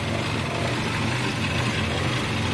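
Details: 2006 Nissan in a no-start diagnosis: uneven, lumpy idle with a wandering low rumble while both sensors are unplugged, reading a stuck 1.51 V with no response; the engine keeps running erratically. Rough erratic idle, cause unconfirmed.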